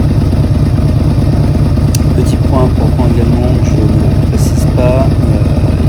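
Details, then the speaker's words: Yamaha V-Max 1200 idling after stator replacement and a recent carburetor cleaning; deep idle with a loping, uneven beat between firing pulses, which the owner says shows the carbs need synchronizing, planned soon. "on peut entendre le bruit du moteur que cel nécessite sychro en effet j'ai récemment fait le nettoyage de la carburation et pour les puristes du Vmax on peut entendre que ce dernier voilà nécessite une synchro que je ferai très prochainement"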